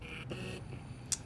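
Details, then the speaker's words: Sony FE 50mm f/1.8 lens on a Sony A6600: short bursts of thin, high buzzing as the autofocus motor hunts, noisy enough to be picked up on video; the lens is blamed. "you hear this buzzing sound kind of noisy huh so I don't want this in no matter what it is like a vlogs or films"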